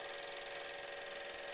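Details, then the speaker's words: Lathe crushing two shafts together under speed during a lubricant test: steady mid-pitch whine with fast gritty rattle as the lathe's bearings take heavy side pressure. "the pressure actually gets great enough that you will be able to in a moment begin to hear the bearings rattle in the lathe itself right there"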